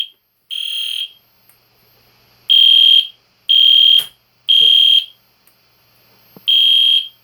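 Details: EST Genesis horn strobe fire alarm test, meant to sound like a classic Spectre alert but higher pitch: loud high-pitched half-second blasts repeating steadily with short gaps; normal horn operation.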